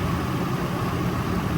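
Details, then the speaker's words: Nissan idling during a cylinder-deactivation misfire test for P0300: a steady, even low rumble with no dips or stumbles, and the idle changes as each cylinder is switched off, so all cylinders are firing; normal idle. "okay it goes the idle goes back again I'm going to do two okay you here the idle goes up okay Escape so that means that they they working fine"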